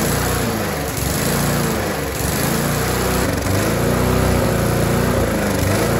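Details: Rover 4-stroke lawnmower run without air filter: loud buzzy single-cylinder run rising and sagging instead of holding speed; owner suspects a weak governor spring, while the finding is a carburetor air leak causing surging.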